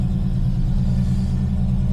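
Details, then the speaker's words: TVR Griffith 500 Rover V8 just started on new fuel after a bad coil wire connection was fixed, no air filter, not yet warmed up: a deep, even V8 idle with no misses, now running on all cylinders. "and it really does feel like we have all cylinders now building oil pressure we have fuel"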